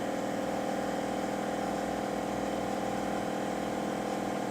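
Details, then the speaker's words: Ford Expedition air suspension with new O-rings, battery connected, key on: compressor runs with a steady electric whir pulsing about four a second, kicking on and off, air springs not filling, likely leaking. "Alright, and now let's turn the key on, see if it kicks on. Kicked on. Hear it? Okay, kicked off."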